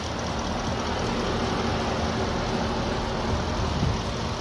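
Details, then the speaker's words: Gen 1 Ford Raptor (2010-2014) 6.2 V8, hood open, stock exhaust and intake with drop-in K&N filter: smooth steady idle with light rapid top-end ticking from the noisy fuel injectors, normal for a healthy 6.2. "pretty much you're going to have a loud top Rider kind of tick and that's perfectly normal the fuel injectors on the 62 are extremely noisy so if you hear that that's no big deal"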